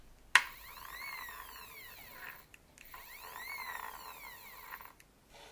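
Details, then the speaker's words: Stepper-driven pick-and-place parts dispenser with 3D-printed PETG gears: a rising and falling stepper whine with a rough gear buzz underneath. The owner suspects the cogs are touching or need more clearance; still noisy. "Yeah. It's a bit noisy. I can't say I'm a fan of the noise."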